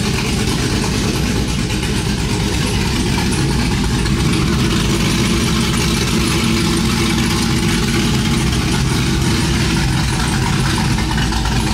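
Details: Cammed 5.3 V8 Chevrolet Silverado after long tube header, x-pipe, plug and wire install, open headers with no exhaust fitted yet: loud raw rumbling idle, choppy uneven beat, no muffling; healthy.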